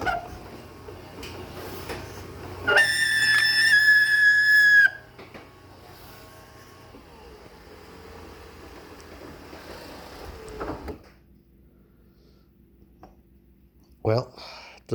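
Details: Martin DC 37e garage door opener (item 79965): shrill whistling squeal rising about two seconds over quiet motor hum, then fading, coming from inside the opener unit; owner thinks it has seen better days.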